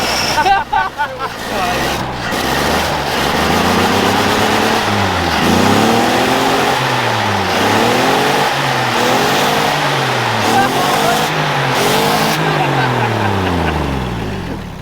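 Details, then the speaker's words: Engine in an off-road rollback build, started after timing was rotated forward; catches and is blipped through rising and falling revs, pulls clean with no knock underneath: motor in good shape. "the motors in pretty good shape it really is it sounds good it doesn't knock nope"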